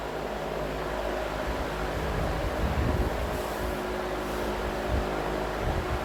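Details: Vintage Emerson box fan with its original capacitor, after cleaning and servicing, running on high speed in intake mode: a steady, even whoosh with a low hum and no rubbing, rattle or wobble. Normal running at high speed.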